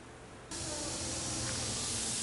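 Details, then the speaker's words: Head gasket leak detected with an ultrasonic receiver and headphones: steady, even rushing hiss with no engine rhythm, like compression escaping past the gasket; caught before serious damage. "this one's got a leaky head gasket it's a good thing we found it now before something serious went"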